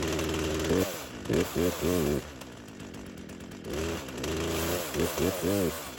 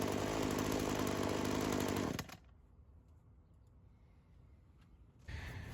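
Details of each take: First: Craftsman chainsaw that sat unused for years, fueled and on full choke: several rapid pulls on the starter cord in two bursts with no firing or catching; won't start. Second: Old Craftsman chainsaw that sat for years, two-stroke, after carb work; seals checked by tipping: steady, even idle burble for about two seconds before cutting out; carb holds a stable, normal idle, no head gasket or crank seal leak.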